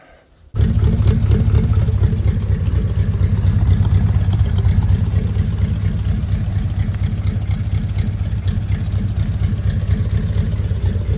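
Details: 1940 Ford Tudor after welding on new tailpipes from a kit, not yet cut to length: steady even low rumble with light throttle blips, no rattles, ticks or leaks; normal exhaust note.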